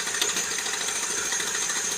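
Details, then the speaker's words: ER6 (ЕР6): fast steady clatter of light knocks as the pump runs, pump friction wheel loose and wobbling; play in the friction drive suspected, not confirmed. "вот теперь пошел вот такой стул вот так он и случится на постоянно этапом работы"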